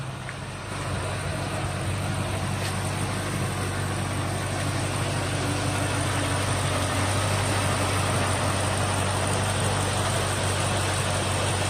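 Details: 2003 Ford Mustang SVT Cobra after 4 months of winter storage, dead battery replaced with new Motorcraft BXT-59, engine already running: even, deep idle throughout, no misses, knocks or hunting; normal healthy idle.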